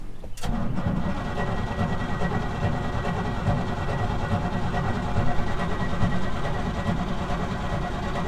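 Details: 1988 Chevy R30 dump truck, cold, stored outside, carbureted, fuel pump running and battery gauge up: starter churns with low, laboured rumble for several seconds but never catches; slow crank, no start.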